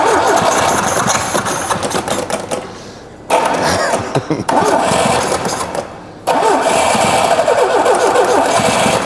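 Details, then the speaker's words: Carbureted engine run on petrol stored in canisters for one year: it starts very badly and stumbles unevenly, sagging and nearly dying twice before picking up; rough running on stale, evaporated fuel. "посмотрите получить заводится очень плохо очень прям безобразно но все поехали"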